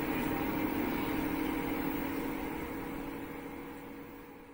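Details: LG front-load washing machine in the spin cycle: smooth hum with a mid-pitched tone that slowly fades as the drum winds down, with no knocking or grinding. This is the normal spin sound.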